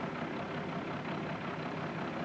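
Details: 1995 12V Cummins diesel, about 313,000 miles, idling with a slightly uneven, lumpy clatter and heavy shaking; rough idle and low power from fuel starvation caused by a faulty fuel overflow check valve, cured by replacing it.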